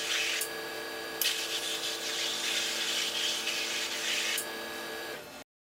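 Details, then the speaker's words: OMAX waterjet cutter with high-pressure pump running, nozzle cutting after the pierce point: steady loud hissing roar with a low growl underneath, the sound of successful cutting. "you hear that low kind of growling sound that's the sound of successful cutting"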